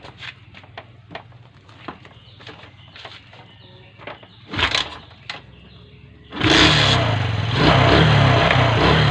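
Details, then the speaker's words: Kawasaki Fury 125 that would not start after rain, carburetor cleaned and burnt spark plug replaced: after clicks and handling noise it catches and runs strongly and evenly with a brief rev; normal running. "Umandar na siya mga boss."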